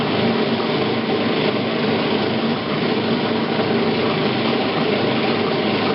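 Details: Admiral washer model AAV7000AWW running after drive belt replacement: constant loud roaring drone with no clear beat, same noise as before the new belt; cause not identified.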